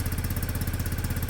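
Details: Peugeot Satelis scooter, barn find, after immobiliser/ECU fix: even, low thudding about twelve beats a second, smooth and regular with no misses or knocks; healthy single-cylinder idle.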